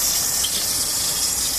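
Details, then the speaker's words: Water pump and pipes heard close by: loud, steady hissing rush with no rhythm, like water forced hard through pipes; louder when all taps in town are closed, worst after 11 pm; cause not found. "الظاهر انه في صوت عالي ومزعج ايضا هذا الصوت"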